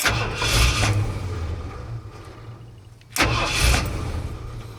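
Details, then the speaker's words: Ford truck with self-resetting ignition kill switch installed and activated: engine catches and runs a second or two, then dies once the key is released, twice over, nothing mechanically wrong; kill switch cutting ignition. "it tries to start but it won't stay running once you release the key"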